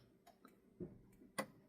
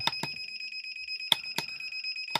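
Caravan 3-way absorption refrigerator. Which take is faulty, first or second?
second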